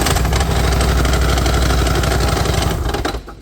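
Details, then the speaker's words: Polaris Sportsman 850 ATV at idle: a heavy, rapid engine knock that sounded like a rod and suggested a full rebuild; the cause turned out to be loose flywheel bolts. "a customer brought this 850 Sportsman in, and it is knocking like crazy, and we're gonna figure out what's going on with it."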